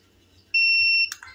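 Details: Tronic Alfa studio monoblock flash after repair of power-drop and calibration faults, trigger test at low power with modeling light low: short steady high ready beep, then one sharp clean pop; charges and fires normally, power stable.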